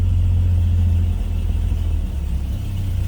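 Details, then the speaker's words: 1950 Chevrolet 3600 truck with an inline six on choke and a 4-speed automatic with overdrive, cold start: deep, steady low rumble running evenly without misses or knocks; a healthy cold idle. "So obviously that was cold start. We have a little aftermarket tack added there too. Let it warm up just a little bit here."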